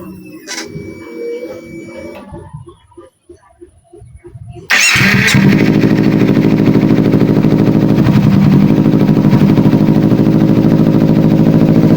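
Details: Kawasaki Ninja 250 FI with hesitation, weak power and sluggish throttle response, after fuel pressure check and throttle body removal and refit: engine catches and settles into a fast, even, steady idle with no stumbling; normal idle.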